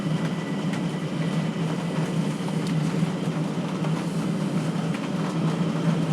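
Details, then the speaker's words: 12V/24V/240V diesel heater running at full power, drawing about 40 W like other 4 kW units. Even, smooth roar with a steady low hum and no surging or popping; it is burning normally. "oh so running a full power and it is pulling 40 watts which is about the same as every other four kilowatt here pulls uh when it's running normally"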